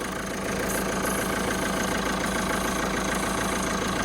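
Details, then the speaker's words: Peugeot 207 at idle after spraying WD-40 on the accessory belt: the noise stops, leaving a steady, even idle and smooth hum with no squeal or chirp, confirming the belt is worn out; quiet accessory belt at idle. "et là vous entendez plus rien si vous faites ça vous faites ça vous mettez un peu de produit la double et 40 sur votre quoi il y au bruit ça s'arrête donc vous pouvez être sûr que c'est la courroie qui est morte"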